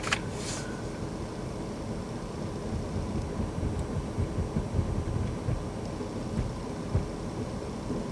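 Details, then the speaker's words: VW Touareg air suspension compressor after replacing a previously rebuilt pump that ran constantly, sagged and threw suspension warnings; new pump runs as a steady, even low drone with no knocking or rattle, raising the suspension quickly; normal operation. "don't want air ride warning lights pumps up like it's supposed to even this works like it's supposed to"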